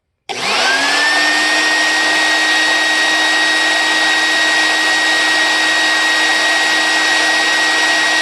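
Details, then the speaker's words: 1980 Electrolux Olympia One 1401-B canister vacuum, reassembled, front bearing not replaced, initial test drawing about 8.5 A: quick spin-up to high raspy whine with visible brush sparking and long wind-down; dirty commutator, owner expects cleaning it will improve sound. "Right, that's a heck of a wind down, and I'm getting about 8.5 amps. So I've got to clean that commutator, and I'm pretty sure that's going to make that sound a lot better."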